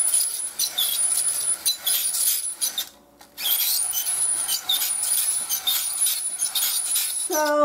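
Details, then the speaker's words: Ibili 5-blade manual shredder/slicer cutting potatoes: rough scraping across the blades then a sharp rising squeak when the handle is pressed down, still squeaking after oiling. "yeah you hear that still making the squeaky noise so that oil didn't do a"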